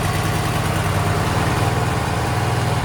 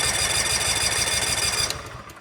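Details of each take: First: Cub Cadet RZT SX EFI zero-turn mower with 202 hours, crank-no-start fixed by replacing a bad relay: small engine catches immediately, steady even idle thump, no misses; runs healthy. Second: Cub Cadet RZT SX EFI zero-turn mower at about 200 hours with an intermittent crank-no-start: steady, rapid starter churning with no firing, then it stops; no spark from a failed relay.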